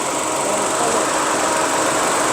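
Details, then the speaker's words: Engine idling after a universal fan thermostat was installed, coolant at 93°C with the switch-on set around 90°C. A steady airy rush swells slightly as the electric radiator fan comes on. Normal operation. "the cooler temperature here. You can see it's 93 degrees Celsius. So we see when the fan goes up."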